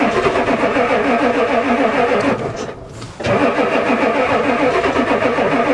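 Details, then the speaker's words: Ford diesel truck at +4 °C after fitting a replacement glow plug controller that isn't heard clicking: starter spins the engine at a strong, even three to four beats a second, pauses, cranks again; fired slightly but never catches; owner suspects controller not working. "the old one used to do lots of clickings it actually fired a little here we go again try again it's cranking"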